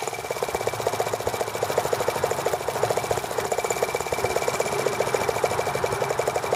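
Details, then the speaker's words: T26 model engine run at low speed on idle: light, fast, even ticking about ten per second with a faint high tone as spark arcs around the plug instead of firing cleanly; fuel line had been kinked against flywheel. "hear the spark going around the plug."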